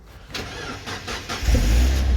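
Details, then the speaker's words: 2005 Mazda MX-5, 1840cc petrol, manual, brought in for a battery not charging, starting after a drive belt replacement with the jump pack disconnected: a few cranking beats, a quick catch and a steady low idle, taken as a sign the alternator is charging. "see my jump Pack's not even connected and it's starting itself already from the little time that it's run so that or already tells me that the um alternator's charging"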